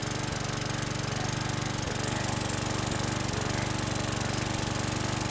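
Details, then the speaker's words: 2011 Troy-Bilt 21-inch self-propelled mower, 725EX engine, after carburetor cleaning, new bowl gasket and cleaned tank: fast steady single-cylinder idle with a few stumbles and burps; slightly rough idle with occasional miss, carbon on valves suspected. "so it's started relatively easy and it sounds good there's a little bit of uh rough idle but it's nothing that I'm going to be worried about little bit of a Miss could be some Carbon on the valves little bit of burping going on"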